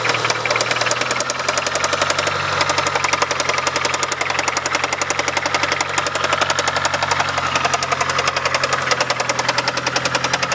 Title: 97 talon tsi engine knock